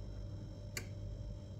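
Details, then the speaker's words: Karaca Coffee Art 1101 espresso machine on first use, warming up while its lights blink. A single sharp tick over a quiet hum, which is the normal heating sound during preheat. "tık tık sesini duyuyor musunuz O Ses makinenin ısındığını gösteriyor"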